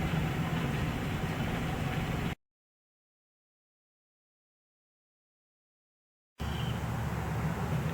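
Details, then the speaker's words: 2005 Ford Explorer with 14 codes including P0190: low, uneven idle chugging and wavering, barely holding idle; dark gunk keeps the throttle plate from closing fully, later cleaned out. "14 codes. It's running rough. It's barely wanting to idle."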